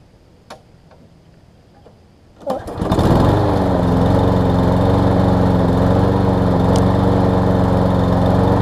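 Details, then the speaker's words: Lawn Boy mower, 20-inch deck, Briggs 675 engine, low on fuel, sometimes won't restart warm: starts on first or second pull, steady buzzy run with a thin, hunting note; lean running, starving for fuel or air, dirty carb. "so again start something starting on the first pull or second pull runs good sounds like it's starving for fuel starving for air a little bit"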